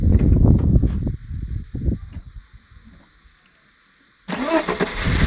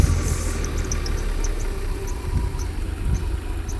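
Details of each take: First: Mercedes W126 300SE, M103 3.0 L inline-six converted from the original fuel system to a Voltarent ECU, restarted: quiet pause, then it catches at once and settles into a steady, even idle with no misfire or stumble; normal idle. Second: Mercedes W126 300SE, M103 3.0 L inline-six on a Voltarent ECU conversion, idling with cylinder six deliberately disabled: low, uneven idle that lurches and sags, labouring close to stalling; misfire from the disabled cylinder.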